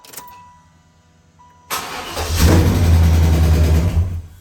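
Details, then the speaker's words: 1995 Impala SS 5.7 LT1 with cast iron heads, first start after Opti-Spark replacement: short crank into loud, lumpy, wavering idle that settles; check engine light on, owner disliked the sound, cause not pinned down. "oh that did not sound good I did not like that it started though but I did not like that sound"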